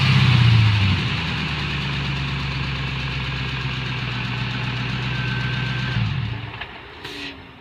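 Engine catches with a brief rev flare, settles into a smooth, even idle for several seconds, then shuts off; running normally.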